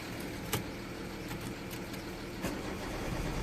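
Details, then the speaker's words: 2004 Citroen C4 1.4 petrol (KFU) with open-circuit codes P0201–P0204 and P0443, and no voltage at fuses 5 and 10 fed by one relay. The starter cranks unevenly but the engine never fires. "as you can probably hear is not going now"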